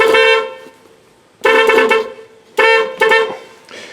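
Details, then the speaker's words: 1986 Dodge Ram D150 318, horns remounted, horn relay replaced with a boneyard part after fuse kept blowing: blasts cut in and out in uneven one-second bursts; intermittent horn, owner suspects the horn switch. "well sounds like my switch might have a little issue"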